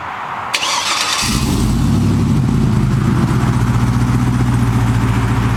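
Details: 2008 Chevrolet Silverado LT, 6.0L L76 Vortec V8, 4L70E, with American Racing headers, high-flow catted Y-pipe and Borla XR-1 muffler: quick crank, then a deep steady burble at idle, no misses or knocks; normal.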